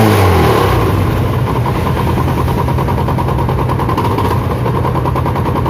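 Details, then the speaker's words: Spark 135i motorcycle before engine rebuild (connecting rod and big-end bearing replaced, pistons upgraded to 58.5 mm): steady loud idle with a deep repeated knock around 200 per minute under the exhaust; connecting rod big-end knock. "นี้ได้จะเป็นเหมือนเสียงข้อเหวี่ยงนะครับครับเดี๋ยวเราจะพอดูครับ"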